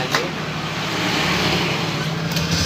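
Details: Honda Scoopy scooter, pulley cover removed and engine running; steady rough, gritty buzz with no clean tone, traced to a worn crankshaft bearing, requiring full engine teardown.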